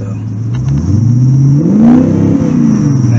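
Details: 1984 twin throttle-body Crossfire injection, warm at 150°, outside garage, rev test: revs climb toward about 4000 rpm then falter and sag unevenly; high-rpm stumble persists, cause unknown (speedometer sensor compatibility suspected).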